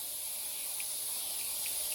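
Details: Airbrush at about 35 psi loaded with a drop of cheap unthinned Delta Ceramcoat craft acrylic for repainting a crankbait lure: just a steady high airy hiss with no paint spitting; the thick paint isn't feeding, air only.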